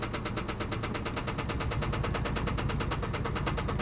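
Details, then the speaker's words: Salvage auction car with rear damage: loud, hard knocking at about nine per second through the whole idle right after start; rod knock, car considered done. "hell i might even try driving it with a rod knock no this this car is done this car is done"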